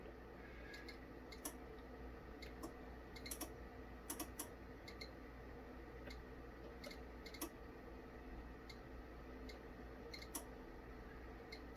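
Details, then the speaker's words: KORAD KA3305 bench power supply, channel one with no load: sharp, irregular clicks over a faint hum as the tap-changing relays switch in and out at about 6 V, 11.5 V and 22.5 V. "i don't know if you can hear that on there the relays are switching it off and on and they generally click in at about six volts 11 and a half and then 22.5"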